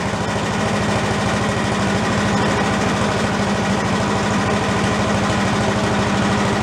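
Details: Commercial walk-behind two-stroke leaf blower, bought not running with reported carburetor problems, now repaired and run on the ground to check smoke: buzzes at a steady, even speed with a fast regular firing beat, no misses; runs clean.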